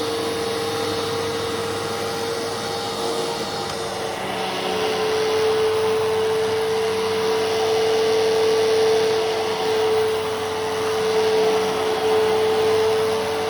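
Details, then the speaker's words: A vacuum picking up paper shreds: a steady high motor hum with a constant loud buzzy rattle from the brush roll area, cause unknown. "Also, the brush roll rattle is really loud. So if you have headphones, I would say you should probably turn down your volume."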